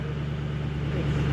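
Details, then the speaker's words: 2007 Ford Mustang idling smoothly and evenly with no stumbles or surging after fouled and damaged spark plugs were replaced, curing the idle surging, stalling, misfires and ticking noise. "it's great man it sounds so smooth I love it awesome hell yeah it's ready to go"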